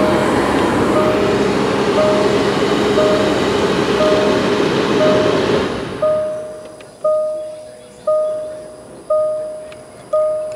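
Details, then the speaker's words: Range Rover, engine not running, AC switched on: steady airy fan rush with a chime pinging about once a second, then fan cuts off; blower and controller working normally. "we just hit this AC turn it on oh we have air can you hear that"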